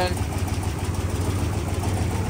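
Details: 1964 Ford F-350 truck after new water pump, radiator and temp gauge, first start after repairs with no water leaks: deep, even low rumble with steady firing pulses and no knocks; normal smooth idle.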